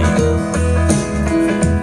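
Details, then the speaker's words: Simbadda active speaker after replacing a blown power-supply electrolytic capacitor, subwoofer output test: guitar music plays clean with full bass and no crackle, hum or distortion; normal playback. "Ini sudah normal."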